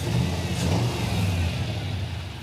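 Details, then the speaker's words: V8 with aftermarket ECM wiring: revs up and falls back with a lumpy, uneven exhaust beat; one bank fires fine, the other has at least one dead hole, running on six cylinders. Cylinder misfire. "when you listen to this side versus that side it's not the same these ones are all firing on this side yeah now come over here got a at least one dead hole over here yeah yeah this is not happy over"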